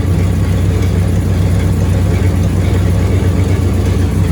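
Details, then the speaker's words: 1965 Cadillac Coupe DeVille V8 after engine rebuild, warmed up 10-15 minutes after short test drive: deep idle with uneven lope, stumble and visible shaking; possible misfire, owner to check spark plug gaps; slight belt squeal. "She's charging. She has a bit of a stumble. You can kind of see it shaking."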